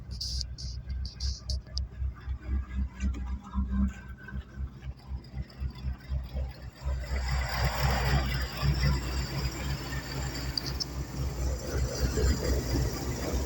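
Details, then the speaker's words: Ford 460 V8 van started after 4 months sitting, primed: it fires and settles into a slow, loping idle a bit below normal speed that needs adjusting. "Idling a little low, but we can adjust that later. But it's running."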